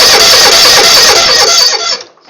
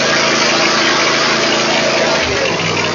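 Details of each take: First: Cold Kohler V-Twin mower with single throttle/choke lever: starter cranks steadily about two seconds and the engine never catches; hard start because improper throttle cable adjustment keeps the choke from closing fully. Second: Troy-Bilt mower with Kohler V-twin after throttle cable adjustment so the choke closes fully, fixing long-cranking hard starts: a brief crank, then it catches promptly and runs evenly.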